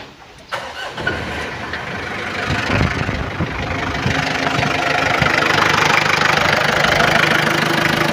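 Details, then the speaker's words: 1999 Mitsubishi Kuda GLS diesel, L300-type engine, slight leak suspected at the valve cover gasket or cap; cranks and catches, then settles into an even diesel clatter with light clicking ticks typical of this engine; normal healthy start and idle. "ini kondisi mesin sudah dihidupkan suaranya teman-teman bisa menilai sendiri untuk suara Mitsubishi L300 emang suaranya seperti ini beda sama kijang kijang agak sedikit agak suara klik klik kliknya dan ini memang khasnya diesel"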